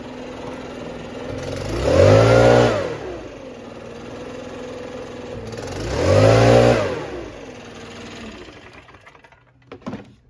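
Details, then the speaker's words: Stihl BR600 backpack blower before annual service: two throttle blips each taking about a second to swell before peaking; tremendous acceleration lag from valve clearances out of adjustment, not the carburetor. "Tremendous lag in acceleration. I hope I had that lined up well enough, but you could hear the lag."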